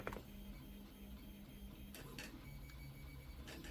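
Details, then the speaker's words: Philips Azur Elite iron that wasn't heating, after repair: on re-plugging, a few sharp relay clicks over a quiet room show the main board is working, and the iron then heats up quickly with smoke showing. "derinden yine bir sesimiz Geldi bakıyorum şu an ısınması gerekiyor ütümüz ısındı"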